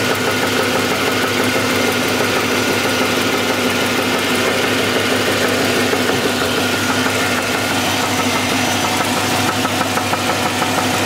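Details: SS (per title) at idle with accessory belt off: sharp, regular knock roughly three a second over the engine hum, loudest from underneath; connecting rod knock.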